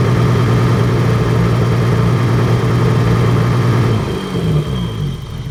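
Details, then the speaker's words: BMW E30 with hard starting and flooding issue, idling: steady low drone, then revs dip and waver, stuttering and loping as if it had a cam; surging idle, cause unknown. "So if anybody knows what would cause that, it's like it's stuttering, like up, and like it's got a now it's loping. Sounds like it's got a cam in it."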